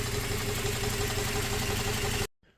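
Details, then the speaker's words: 2004 Toyota Tacoma 4-cylinder, 141,000 miles, rough, slightly uneven idle rumble with no mechanical knock. The misfire now on cylinder 2 followed the swapped injector, which quits when heat-soaked. "When that injector gets heat soaked, it stops working. You can't really do a good field test on them, but a little bit of Swaptronics, we got it."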